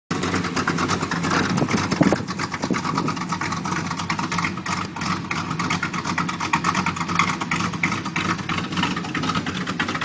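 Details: 1987 Chevy 350 V8 with cam and flat-top pistons, just bought, first start, needs a tune-up: lumpy, loping idle with uneven chop over a steady rumble; rough idle.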